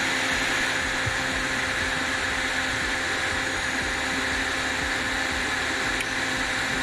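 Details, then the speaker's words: Eberspächer Hydronic 30 kW heater, after cleaning shorted spark electrodes and refitting; only steady fan whir, burner never lights, so electrodes need replacing, or possibly the coil; some smoke from fuel on still-warm heat exchanger. "now still not working okay so then we should change them but from where i don't know"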